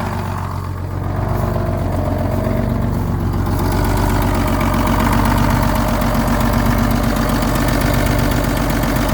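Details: Old diesel truck, cold weather, fitted with muffler, just started on new batteries: steady even diesel clatter about four beats a second, settling smoothly; healthy idle.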